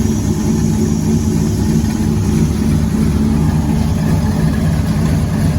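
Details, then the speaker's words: Nova race car V8, first running engine in 38 years, restarted after refitting the thermostat housing to fix a coolant leak: deep, even idle rumble with no knocks, misses or ticks; leak fixed, sounds good. "okay we put the water thermostat housing back on so we're going to bust it off here again and see if we got this leak fixed oh that sounds good okay that's fixed"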